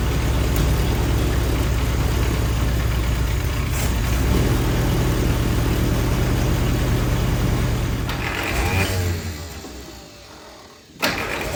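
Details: 1946 Willys CJ2a four-cylinder after 40+ years sitting, with distributor tune-up parts and a rebuilt carburetor: it runs rough for several seconds, then the revs sag and it stumbles and dies. The carburetor won't idle; timing is suspected; the engine won't hold idle.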